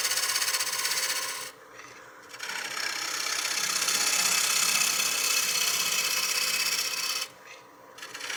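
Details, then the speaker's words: Woodturning lathe at about 950 rpm, gently scraping a 2-inch thick, 13-inch kiln-dried cherry cake-stand blank: harsh scraping rattle pulsing about four times a second as the tool chatters across the face because the blank is out of true. "You can hear it chattering across the surface. That's because it's out of true."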